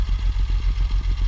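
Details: 1958 Mercedes-Benz 220S Pontoon idling: steady, even low exhaust pulses about ten a second with no misses, knocks or rattles and no exhaust smoke; a smooth, healthy idle.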